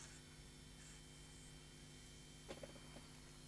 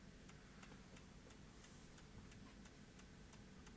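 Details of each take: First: JVC BR-HD50 ProHD HDV DVCAM-size deck that had been tampered with, powered from a 12 V centre-positive lab supply drawing 400 mA; on switch-on a soft steady fan whir with low hum and light mechanical clicks, no rubbing: normal cooling fan running. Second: JVC BR-HD50 HDV DVCAM deck on a 12 V centre-positive bench supply, drawing over an amp with operate flashing: steady ticking about three times a second over a low hum at power-up, because the supply's current limit is set too low.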